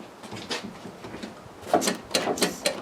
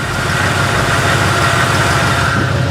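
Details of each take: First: Chevrolet K20 small-block V8, first start attempt after about 20 years, no gas in it yet: steady starter whirr with even compression beats about two per second and no firing; no fuel reaching it until primed. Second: Chevrolet K20 small-block V8 running for the first time in two decades after doing nearly nothing to it: steady, even low idle rumble without misses, knocks or ticks; runs fine, though stuck rings are suspected.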